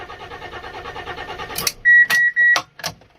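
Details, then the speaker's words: Fiat Stilo Abarth, water-damaged, just after replacing the crankshaft (RPM) sensor and battery: starter turns evenly about 1.5 seconds without catching, then warning beeps; crank no start, RPM sensor fault code still present. "Yes, why aren't you starting? Still RPM sensor, but hey, I just replaced it."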